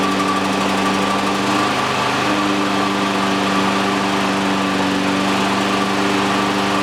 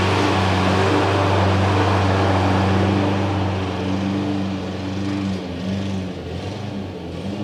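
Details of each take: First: Exmark EC21KA Commercial 21-inch mower, Kawasaki FJ180 engine, bought in poor condition, after repairs including new primer bulb: single-cylinder holds steady even buzz at constant speed, no misses, knocks or rattles; runs healthy. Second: Exmark EC21KA Commercial 21 walk-behind mower with a Kawasaki FJ180, started after a new primer bulb and reassembly: steady drone sags and stumbles as it loses power; engine starved of fuel and dying once warmed up, stalling.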